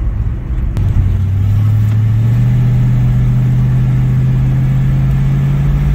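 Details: 1960s Ford Mustang 289 V8 automatic, two-barrel carb, full throttle from about 40 mph: note climbs smoothly, no stumble or miss, pulls pretty good; kickdown issue pending fix.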